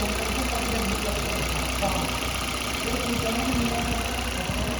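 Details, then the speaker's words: Maruti Baleno warming up from a winter cold start as oil circulates: RPM dropped to an even, settled low idle hum, noise gone; normal warm idle. "देखो down होने लगे RPM देखो देखो अब आवाज सुनो देखो बिलकुल लो हो जाएगा बिलकुल साउंड भी आनी बंद हो जाएगी"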